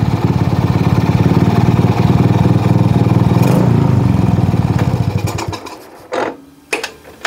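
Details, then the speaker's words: Shogun R110 single with gear-indicator plug reconnected, first gear engaged: even idle fades after about five seconds and dies, then a few clunks; short in the first-gear indicator wiring kills the engine. "من الواضح أن هذه هي المشكلة ، فقد اتضح أنه في مسار الكابل الذي يذهب إلى مصباح مؤشر الترس 1 ، هذه مشكلة"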